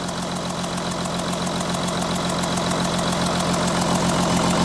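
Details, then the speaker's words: Audi Q7 3.0L diesel idling after injectors swapped and IDs coded: uneven, lumpy, shaking pulse; the misfire followed the moved faulty injector to cylinder 1, confirming the injector. "but actually right now the engine is starting to misfire so after riding the injector ID in the engine computer the engine is shaking I don't know if you can tell the engine is shaking right"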